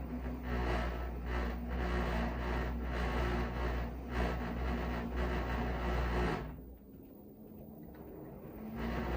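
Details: Brand-new LG washing machine running with a heavy low drone and quick rhythmic thumping, about four beats a second; owner finds it too loud, repairman says it is normal.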